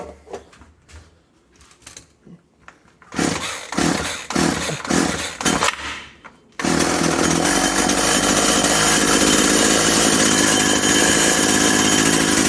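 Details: Husqvarna/McCulloch Tivoli 65 hedge trimmer, sat 15 years, throttle cable not connected: a few pull-cord tugs, then it catches and runs at a steady, high buzz without stumbling; running fine.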